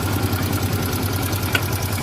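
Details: Hero Super Splendor BS4 at 23,808 km, possibly more, idling: a fast, even metallic ticking from excess tappet clearance, with timing chain noise also suspected.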